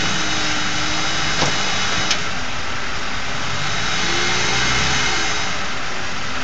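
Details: Ford 4.6 V8 running with a Prime Guard oil filter, noise persisting after a second filter: a faint, constant buzz over the steady engine run, holding through light revs; failed oil filter anti-drainback valve buzzing.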